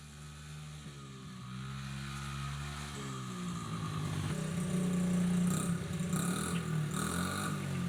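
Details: Honda XR50 small single after repair (leaking head gasket and air leak fixed) thumps steadily and revs cleanly, no popping or hunting; silencer full of oil, bike likely sat upside down, may smoke first rides; engine running fine.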